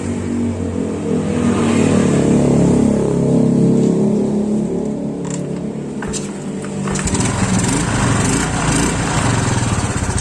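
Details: Yamaha Mio automatic scooter after repairing a loose, wobbly kick-starter boss, started and running: even, steady engine note with smooth revs and no rough CVT rattle as before; normal running.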